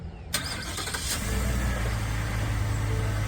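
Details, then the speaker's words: 2022 Ford F-150 starts right after an oil change with AMSOIL Signature Series 5W-30 synthetic and an EAO17 nanofiber filter. It cranks quickly and settles into a smooth, even low idle with no knocks or misses, running healthy. "Oh yeah, purring."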